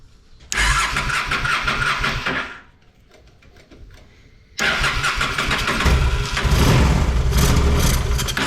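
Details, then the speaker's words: Honda Shadow motorcycle (possibly a 650) that sat almost a decade: engine catches, runs roughly about two seconds, dies, fires again; carb accelerator pump sprays weakly and can't keep up, so carburetor needs cleaning and rebuild with new parts. "yeah she ain't spraying again so it's gonna be time for a good cleaning and rebuild"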